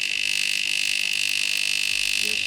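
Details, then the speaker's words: DeLonghi Magnifica EVO coffee machine, which would not draw water: loud, harsh steady high-pitched pump buzz; the pump sucks air through the flowmeter because its seal was missing. Pump drawing air. "w tym momencie ekes tak głośno się zachowywał ponieważ nie było uszczelki on łapał powietrze przepływomierzem A takie dźwięki pompują że jest powietrze"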